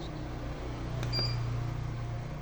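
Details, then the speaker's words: Inverter 5000W with ATS and MPPT, buzzer setting switched on: a single short high beep of about one second over a low steady hum, buzzer sounding normally. "Ini buzzer bisa dihidupkan dan diaktifkan."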